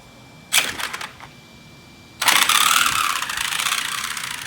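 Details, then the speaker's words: Traxxas Summit RC truck on 6S power instead of 4S, one trigger pull on concrete: short bursts of harsh buzzing grind as teeth skip rather than drive; plastic spur gear stripped, left as weak link to protect diffs. "I've ran this car in a while you hear that horrible noise well I did strip that I hit the trigger once"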